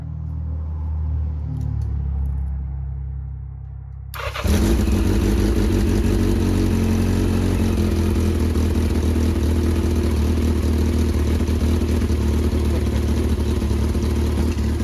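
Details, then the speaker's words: 1982 Yamaha XJ650 four-cylinder, previously non-running, cleaned carbs, fires up and idles loud and raspy with aftermarket exhaust; sharp hissing puff from an exhaust leak; valve lash may need adjustment. "It's got a super traffic exhaust on there. Little bit of an up exhaust leak in there. Pretty bad."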